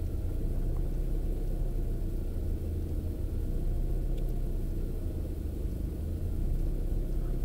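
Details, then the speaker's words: Opel Astra G 1.6 16V X16XEL warming up, coolant about 37°C: revs drift up and sag without settling, idle hunting that matches lambda oscillation and stops at 68°C; cause found to be the engine ECU. "faluje sobie i faluje może coś tu wskażemy temperatury Myślę że głównie na o to chodzi falowanie obrotów"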